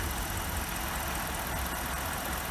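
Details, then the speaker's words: BMW E64 650i 4.8L V8 before PCV valve replacement, blowing oil smoke from the exhaust: idle undulates, sagging low and recovering with an uneven rumble, especially at startup; rough idle, PCV valves suspected. "I'm thinking, here we go. And that came down on idle. So you can hear it. It's kind of going low."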